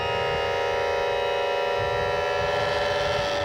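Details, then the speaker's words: Trim pump on a used outboard or inboard-outboard engine, run while trimming the engine up or down; a steady, even electric whine holds one pitch for several seconds, then cuts off cleanly; normal, healthy trim pump operation. "Finally, you want to trim the engine up or down and listen to the trim pump. What we're listening for is a steady, consistent sound."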